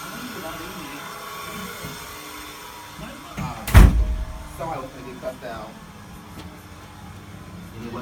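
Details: Hotel room with a steady low electrical hum and faint buzz, plus a thump and voices; attributed to the hotel's power supply levels being cut for an unknown reason.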